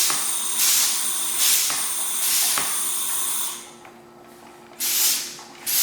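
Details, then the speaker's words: Oil extractor tube down the dipstick hole of a Husqvarna lawnmower that starts but won't stay running; hissy, airy slurps with each pump stroke and no liquid gurgle as it sucks air, sump empty. "There you go. I don't know if you guys can hear that suction sound. Yeah, I can feel the bottom. There's nothing left."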